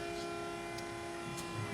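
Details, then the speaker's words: Electric power steering pump feeding a Nissan S13 steering rack swapped into a Scion FR-S, run on ignition with the engine off: steady, even whine with a clear tone. It's noisy and bogs when turning with the engine running; normal operation. "It's a little noisy. Once the engine's running, you can hear it like kind of bog down like that when I turn it."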